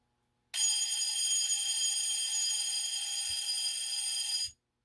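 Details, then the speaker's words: GE/Telechron alarm clock with bell alarm, tripped while plugged in: shrill ringing about four seconds mixed with rough buzz; the two vibrator arms need bending to get a clean ring. "Okay, so you can see there's some bell, there's some buzz, and if you wanted to improve upon that, then you can just keep messing with bending these two arms until you get it where you want it."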